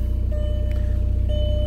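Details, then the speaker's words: MK4 Jetta TDI manual diesel with new battery, serpentine belt missing, just started: thin on-off dash warning chime over the idling diesel, lights dim; owner suspects dead battery, cause unconfirmed. "lights are kind of dim there you go why is it beeping oh i think the battery is dead"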